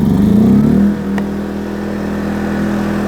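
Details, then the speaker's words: New Yamaha EF2200iS inverter generator, recoil-started with economy mode off: a brief surge after the pull, then a steady, even hum at constant speed with no knocks or misses; healthy running. "So there you hear the unit running with the economy mode off."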